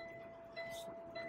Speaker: Alors bon, j'aime autant vous dire que c'est énervant ce bip